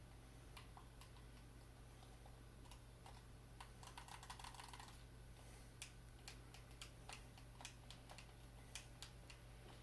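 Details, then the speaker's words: Xbox One Halo 5 controller after d-pad repair, bending the metal contact piece to restore the click: crisp sharp clicks in irregular bursts over faint room hum, every press now clicking cleanly where it did not before. "as you can hear we now have the click which we did not have before thanks everybody"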